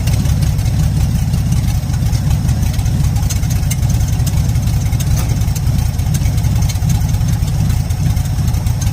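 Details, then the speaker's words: 1977 Ford F-250 Supercab, first runs since 2021, carburetor gasket fitted: very loud, raw, rapid popping idle with deep throaty rumble, exhaust blasting straight out of the open exhaust manifolds with no pipes. "this thing sounds like a race car it's so loud it's basically open headers or open exhaust manifolds"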